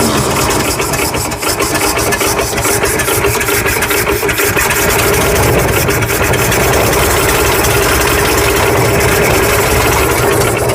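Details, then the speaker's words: Ford F100 truck, previously locked-up engine, now getting fuel from the tank to the carburetor: catches and holds a steady, even idle without dying; runs, though not yet well. "it's a running truck look at that I got to do it again it runs it's not real good it'll get better"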